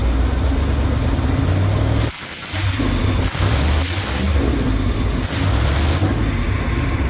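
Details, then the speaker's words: 1969 Camaro race V8 on first start-up after the engine was installed: deep, lumpy rumble settling into a steady idle with one brief dip; runs evenly and sounds healthy. "foreign sounds healthy as all get out yeah she's ready but she's ready to rumble"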